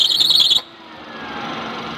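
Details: Maruti Suzuki Alto running: sharp high shriek for half a second then settling to plain hum; slipping accessory drive belt squeal.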